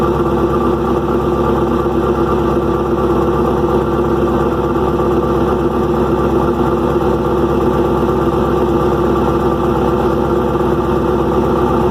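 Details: Restart of freshly rebuilt engine "Promise" at idle: constant rattly top-end clatter with no single knock. Valve train is far noisier than the new lifter package should make. Owner suspects unmeasured, too-long pushrods and is ordering new ones.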